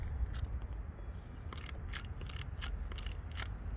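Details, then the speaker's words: Used dual sport dirt bike inspection: sharp dry crackles in quick bursts as the clutch lever is pulled, over a quiet low rumble; the clutch cable inner wire is splitting and going bad. "Check your cables. You can hear that noise when I pull that in."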